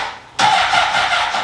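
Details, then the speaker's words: 2003 Honda CBR600RR, low on fuel: the starter whirs in briefly, then drags and fades without the engine catching; weak cranking because the battery is flat. "yeah the battery is done put some more gas in it too might not have enough gas to pick it up"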